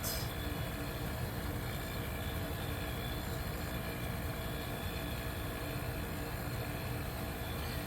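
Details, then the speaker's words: 1973 Westinghouse 25 pint dehumidifier, R12 low-pressure compressor, first start after purchase; low, smooth, even hum with faint steady tone, no knocking or rattling, compressor running quietly and healthy. "so it's a much quieter running compressor amazing yeah this thing is quiet"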